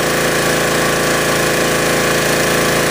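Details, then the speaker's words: Generac pressure washer restarted at high speed (max throttle) after service: loud, steady, fast firing with an even rhythm and no misses or knocks; normal healthy high-speed running. "Got a lot of good fire there. So the machine's running great."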